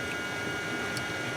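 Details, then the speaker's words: 2009 BMW 335i (E90) new electric water pump, replaced after original failed hard at 72K miles, commanded on for 20 seconds during refill/self-bleed: steady even high hum with wind hiss, coolant flowing; pump running normally after repair. "so we're gonna command this back on again so it's on for 20 seconds you see our coolant coming in there"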